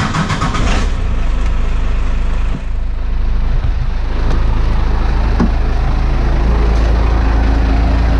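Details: Second-gen 12-valve Cummins diesel with straight pipe, just after a preventative valve lash adjustment: starts and settles into a deep, loud, steady even idle with no ticking or clatter; healthy.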